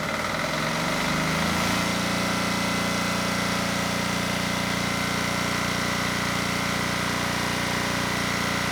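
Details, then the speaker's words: Generac XD5000e generator, Yanmar L100 diesel, restarted after purging air from fuel system, before oil change: cranks, catches and climbs in a second, then settles into even steady idle with smooth beat; normal. "And before we go any further and change the oil, I do want to get the engine started again. and just make sure that the air we introduced isn't going to cause a problem."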